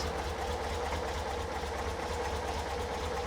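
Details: Car with Weber 40 IDF carbs after clearing clogged idle jets, sealing the air-cleaner base and adding idle-air snorkels. Even, steady idle with no misses, hunting or knocks; whether the fix lasts remains untested.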